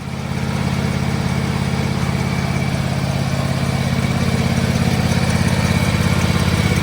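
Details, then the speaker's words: John Deere X590 lawn tractor at running engine speed: a quick, regular tick of about three per second over the engine, first noticed while towing a small trailer. Suspected engine-to-transmission drive belt problem; not confirmed. "I'm going to try to get the ticking noise on video for you. I don't know if you'll be able to hear it because obviously the engine's got to be running."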